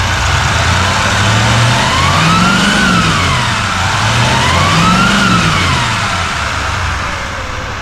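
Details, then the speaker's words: 2024 Chevy Silverado High Country Duramax diesel, revved: whine rising and falling with each rev over the diesel rumble, from two bent turbo compressor blades seen by camera; turbo to be replaced. "so you can hear that little bit of like a whining noise, and that's actually the turbo blades. I think there's two of them that are bent."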